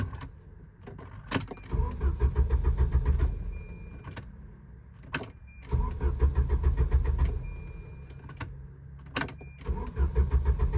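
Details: Volvo 740: starter churns the engine at a steady rhythm in three separate tries, never catches or fires; crank no start.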